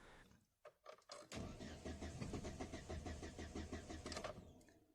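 Even starter cranking around three beats a second for about three seconds, never firing; crank no start from a dead fuel pump.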